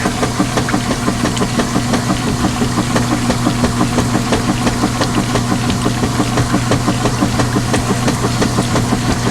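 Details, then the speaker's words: Top-load direct-drive washer with about ten towels, agitating normally: even back-and-forth strokes about three per second over a steady motor hum, no odd clunks. "good clean washer sounds as opposed to got it"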